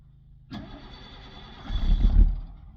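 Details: 2000 International DT466E diesel, hard start, check engine light only briefly at key-on: about two seconds of labored cranking fading out without the engine catching.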